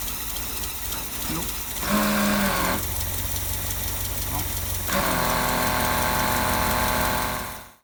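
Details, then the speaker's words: 1955 Land Rover Series One, freshly rebuilt engine after about 50 years stationary: engine catches and runs unevenly for a few seconds, stumbling, then dies. Suspected cause: electric fuel pump bypass overfeeding and flooding the carburettor bowl. "okay so however briefly that was that was running on its own i think the problem is now um where those two fuel pipes connect we bypassed it and put the electric fuel pump on and we think it was given a bit too much and it was flooding the bowl"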